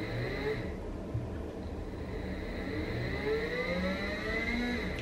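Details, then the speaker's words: WS55-220 sensorless BLDC driver at 30 V with a potentiometer set for fast speed: the motor whine climbs slowly and smoothly in pitch, showing the normal soft-start spin-up algorithm. "though I'm trying to run it fast it starts slowly so they have a nice algorithm"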